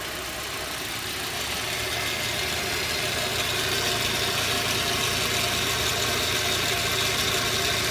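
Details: Audi 80 Cabrio 1.8 petrol engine idling then revving slightly: even bright ticking over the hum; owner unsure whether the engine noise is normal.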